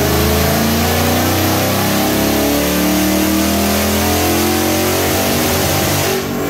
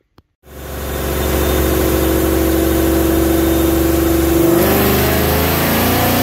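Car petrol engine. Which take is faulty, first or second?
first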